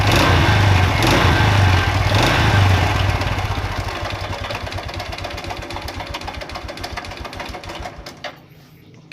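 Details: Honda Revo Absolute motorcycle, previously disassembled: fast, even tek-tek clatter about four ticks a second over a rough idle, fading as revs drop; worn cam chain (keteng) and worn piston causing chain rattle, knocking and piston slap.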